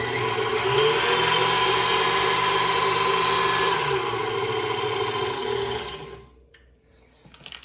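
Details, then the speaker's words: KitchenAid Artisan stand mixer after replacing the stripped plastic worm gear and regreasing: smooth, even motor hum, steady tone, no knocking or grinding, working like new. "And you can see it's working just like it should, just like brand new again."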